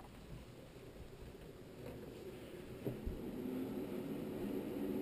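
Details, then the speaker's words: QNAP 659 Pro II NAS after upgrade from 1GB to 4GB RAM (two 2GB SODIMMs): fans whoosh up and settle to gentle even hum, boot beep heard; normal boot, memory seated correctly. "So quick boot. Everything's coming up, and we hear the beep. All should be well, and you should be good to go with your memory."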